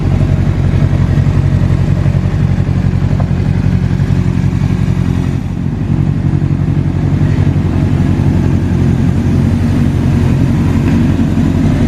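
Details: Rebuilt wrecked 2005 Honda CBR600RR, running on a replacement tilt sensor after it was earlier bypassed with a wire: deep steady burble at a fast even idle with a brief dip. The four-cylinder starts and runs smoothly. Normal idle.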